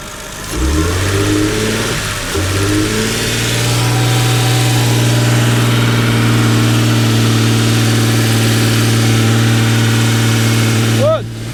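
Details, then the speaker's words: BMW 330i E46 written-off non-runner, first start after sitting: catches after tries, then lumpy uneven idle, misfiring and smoking a bit; no mass airflow sensor fitted, suspected cause, smoke possibly burning oil. "Miss fast runs it does run not quite sure how good yet smoking a bit"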